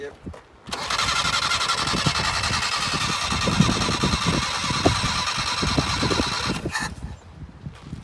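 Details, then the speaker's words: 1978 Datsun 1500 Ute GN620, parked 20 years, refilled with fresh fuel: extended cranking with uneven compression beats, never catching; it's unclear whether the mechanical fuel pump is drawing from the rear tank. "Be interesting to see if the fuel pump's actually pumping up fuel from the back tank or not. Hey? The mechanical pump."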